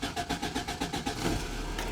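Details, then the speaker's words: 1988 Toyota pickup with 22RE engine, new starter, battery and cable, prone to intermittent click-no-start from a suspected starter relay wiring flaw: starter cranks about six even beats a second, then it fires first try and settles to steady idle. "so since this is being recorded it'll probably start the first time"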